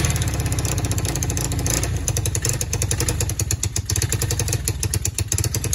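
Small single-cylinder quad idling with a steady, even putter and light clatter, running smoothly now after the blockage was cleared.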